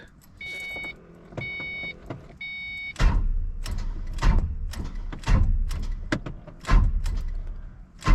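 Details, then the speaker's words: First start after work, door chime then starter catches in short uneven bursts about a second apart before engine turns over; hesitant cranking, mechanic thinks the starter is sticking. "back I think the starter's sticking so I don't know if you guys were able to hear he that but it kept on like hesitating to start"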